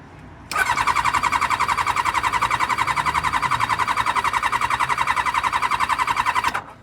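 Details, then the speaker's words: Kawasaki Ninja motorbike engine, battery dead and jump-started, full tank, choke on; steady fast starter churn near four beats a second for six seconds, never fires; cranks but won't start, possibly flooded. "again it's just it's just cranking it's just not starting got a full tank of fuel jumpers on choke"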